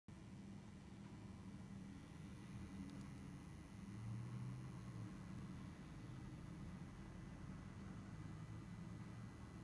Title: Schiit Magni 3 Adapter Humming Noise